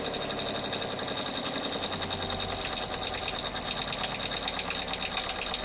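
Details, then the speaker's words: Worn SureFlow 40 psi thermally protected RV trailer water pump running: high thin squeak pulsing rapidly and evenly over a faint motor hum, likely dry worn bearings (suspected); pump to be replaced with an older 35 psi FlowJet. "As you can probably listen, I'll turn it on here. Sounds like the bearings are pretty shitty in it."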